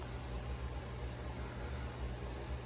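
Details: Fluval 407 canister filter after reinstall, purged of air with the priming valve. Quiet, steady low hum with a soft water hiss and no gurgling or rattling from trapped air. Running normally.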